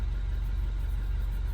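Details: R60 Mini Countryman Cooper S after VANOS solenoid replacement and fault clearing, engine management light gone: smooth, steady low idle with no ticks, whine or misses; normal idle.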